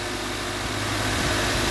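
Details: Subaru Outback XT just after oil cooler gasket replacement (torqued to 28.5 ft-lb, new filter and oil): steady, even idle with a smooth hum and no ticks, knocks or whine; running normally, no oil leaking.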